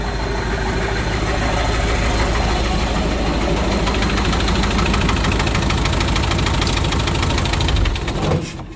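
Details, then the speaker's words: Spryte snowcat "Rusty" turbodiesel, with new OEM Zexel injectors and copper crush washers probably helping seal the indirect-injection cylinders: steady, even low diesel idle clatter, smooth unbroken beat until shutoff; idle really nice, running well. "So, but it seems to be running really good. Idle's really nice now."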